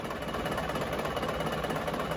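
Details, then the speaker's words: Diesel car engine that had a rough-running complaint, with the No. 1 injector line loosened as a test. Idle turns lopsided and limping from the dead cylinder, but no harsher or knocking; this is how a normal engine responds. "jadi kalau mesin Normal itu kalau kita kendorkan noselnya mesinnya menjadi timpang tapi Mesinnya tidak menjadi lebih kasar cuma timpang saja"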